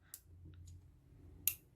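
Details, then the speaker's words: Garen smart gate control board under repair: pressing the push-button key fires the relay, showing the processor works. Two crisp relay clicks about 1.3 seconds apart over a faint hum; normal relay click. "Ó, acionou o relé. Beleza."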